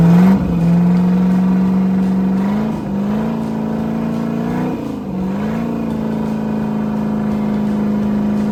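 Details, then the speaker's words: Rebuilt 305 V8, ex-Volvo Penta 2-barrel IO, converted to 220HP Crusader right-hand rotation with 1:1 transmission for a 1995 24' Lyman boat: strong, clean, even note climbing and settling smoothly without misses; sounds good, normal revving. "It had a Pacer 283. We put a 1-to-1 on it. Sounds good."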